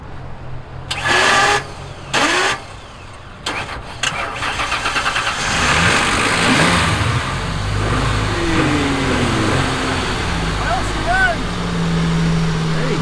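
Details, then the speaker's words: 2002/2003 Ford Ranger that had probably sat unused for a couple of months, started with a booster box: several short, hesitant cranking bursts that spin briefly and drop out before it catches and idles; a faulty starter motor. "definitely needs a new star though you can hear it it spins a little bit if you keep going back and forth you know i guess it catches"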